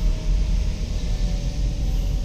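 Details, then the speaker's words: Hyundai Grand Starex with code P0758, after replacing the shift solenoids in the valve body and refilling ATF, on a road test: deep, even engine and road rumble pulling steadily uphill, no flare, slip or clunk. Normal acceleration. "Napangat, ang lakas, back to back to normal, lakas na humatak kahit pangat, wala kang belo, hindi na siya nahihirapan."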